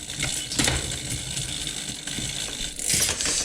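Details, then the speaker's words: Bicycle rear derailleur (Di2) during trim adjustment: shifts down fine but shifting up gives irregular ticking, rattling chain on the cassette and rough clatter; derailleur out of adjustment. "it has no problem shifting down but as i go up you can hear it making those noises"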